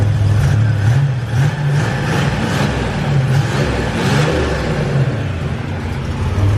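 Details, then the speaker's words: Buick Grand National revving: deep steady engine note with a smooth whooshing whir that swells on the revs; healthy turbo spool. "this thing's pretty sweet makes cool turbo noises it's got the world's smallest charge pipe butter in that it's a badass driver"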